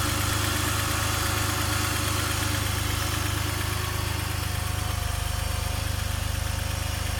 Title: M54b30 cold engine knocking